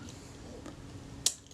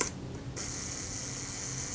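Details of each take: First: Kodak Retina Reflex S shutter, reassembled after servicing with a cleaned, graphite-lubricated retard gear train and a new leather mirror buffer pad, tested out of the body: one crisp snap of the shutter releasing cleanly; normal shutter cycle. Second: Kodak Retina Reflex S shutter at slow speed: thin even gear whirr ends slightly too soon. The shutter is running quick, so the retard gear train is to be moved inward to mesh more with the main drive cam.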